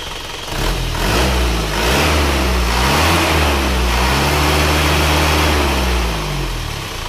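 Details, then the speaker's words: Isuzu Panther diesel after repair of badly sunk cylinder 4 liner leaking compression and broken rings (new rings), warm at 71°: clatter rises smoothly with revs and falls evenly, no rattle or knock; normal revving. "suaranya mesinnya suaranya empuk ya tidak shalat tidak ada suara kerang-kerang"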